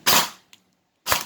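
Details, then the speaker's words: Perun AB++ airsoft gearbox after master reset, pre-cocking off and active brake at 3: two sharp crisp shots about a second apart, with motor spin-up before the piston fires; normal firing without pre-cocking. "Let's first try the no pre-cocking setting."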